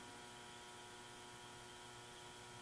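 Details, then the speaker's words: Eight-foot fluorescent tube fixtures in a shop: low steady ballast buzz with a faint thin whine; in winter they buzz loudly and give little light for about two minutes, to be replaced with LEDs. "can hear them buzzing in the wintertime they buzz very loudly and really don't put out a lot of light until they're on for like two minutes"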